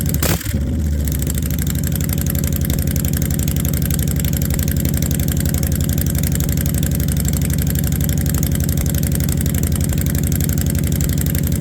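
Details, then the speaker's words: Honda V-twin motorcycle, cold start after storage, warmed about a minute or two: fast even idle of about 230 beats a minute that never drops; won't idle down since late last season, high idle. "I don't know if you can hear that but it don't idle down the right way I got to take it to a shop when Springtime comes"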